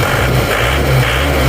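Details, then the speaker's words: Isuzu Panther diesel, low power despite serviced nozzles, compression about 28 bar: harsh hard clatter at idle over loud low rumble, very noisy and vibrating into cabin; diesel knock from injection pump timing set too far advanced. "lalu maju timingnya. Kita coba dulu jalan raya. Tapi mesinnya sangat berisik, kalau dipakai jalan berisik, kerang gitu."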